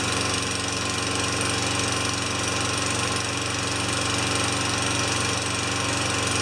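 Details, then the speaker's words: Tecumseh 4HP Yard Machine mower that stalled after a few seconds, muffler back on and fresh gas; steady even single-cylinder beat at constant speed, no surging or dying, runs great. "that's a wrap Bruntlett just runs great"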